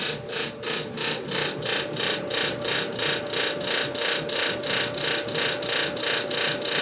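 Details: Samsung dryer running with a harsh rasping grind pulsing about three times a second over a steady hum; it persists after replacing the motor, drum rollers, idler pulley and belt and removing a screw from the clean blower fan; cause unknown.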